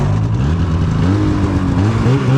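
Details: 2016 Polaris Indy 600 SP two-stroke snowmobile after replacing a plugged fuel filter and Ultimax belt: drone rises and falls cleanly with throttle under load, no stumbling, misfire or bogging; running healthy.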